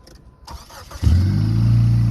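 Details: Neon that had clicked and refused to start, battery at 11 volts. After cleaning a corroded connection it cranks briefly, fires promptly and settles into a smooth steady idle with no clicking. Normal start.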